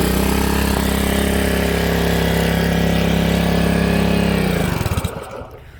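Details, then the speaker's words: Honda HRA216 SX self-propelled mower, apparently sat in a shed for seasons: steady low drone running only on choke, sagging and dying off choke; carburetor main jet and emulsion tube plugged. "right now it only wants to run off the choke circuit, which forces extra fuel into the engine, bypasses that emulsion tube and that jet down there."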